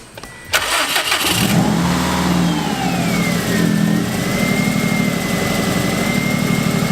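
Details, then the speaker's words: Subaru WRX cold idle just after blow-off valve installed, not yet at operating temperature: quick start, flare, then steady even idle with faint high whistle; ticking from rattling wastegate arm; normal cold idle. "So after the blow-off valve got installed, it is idling really well right now."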